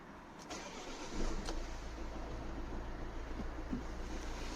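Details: Volvo C30 D2 1.6 diesel, cold start: a loud metallic knock like detonation rides over a rough idle for a few seconds, then goes away. Owner blames bad injectors.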